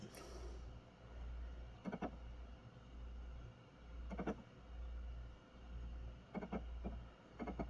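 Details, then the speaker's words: Xbox Series X console failing to read an Xbox One disc (Jump Force), a problem lasting over a month: soft steady whirr of the disc spinning with faint clicks, but nothing is read and no error or dirty-disc message appears. "It's making like a sound, like a So it's clearly spinning the disc. But nothing."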